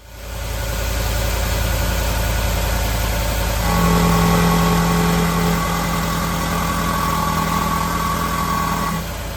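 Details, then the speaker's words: 2018 Ford F-150 5.0 Coyote V8, replacement engine under 10,000 miles after two cam phaser replacements, idling with a fast, even top-end ticking rattle that continues as revs lift; sounds like a loose component, cam phaser suspected, not confirmed. "This Coyote is making two sounds. The first sounds like a loose component."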